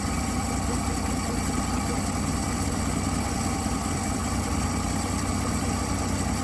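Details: 1959 Dodge Coronet idling after fixing a sticking carburetor needle valve that had starved it of fuel: smooth, steady low rumble with an even beat, no misses or knocks; idles cleanly.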